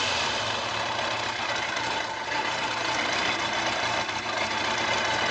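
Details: Kawasaki ZZR1100 D at 55,213 km with a new battery, running during a charging-system check exceeding 13 volts: smooth, even engine note with no knocks or rattles; the engine runs normally.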